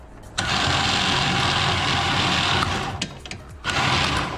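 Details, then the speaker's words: Warn V4000 4,000 lb winch on a Kawasaki Mule Pro FX, tested directly with the wires swapped to bypass the solenoid: the electric motor spins up to a strong, steady high whir, drops briefly and runs evenly again, so the winch motor works and the solenoid is bad. "so now we know the winch works solenoid has to be bad so let's replace it"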